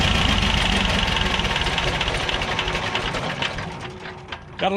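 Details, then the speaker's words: Belarus 250AS diesel tractor that sat for years, with a leak at the first-stage fuel filter seal. Steady clatter at about 220 beats a minute never climbs, then dies away: the engine only idles and won't gain RPM. "I'm going to put it up here in this seal and hopefully get that sealed back off and and then try to crank it again and see what is still why it won't grip. It won't gain any RPM."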